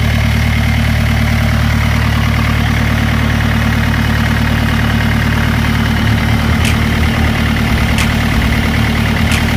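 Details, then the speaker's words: Renault Duster 85PS diesel with no-start complaint, uneven rail pressure, after replacing faulty wiring harness: starts and settles into steady even idle, no misses or knocks; healthy. "வேற ஒரு கன்பார்ம் பண்ணிட்டு ஒயரிங் போட்டு பாத்தோம் வண்டி ஸ்டார்ட் ஆயிடுச்சு"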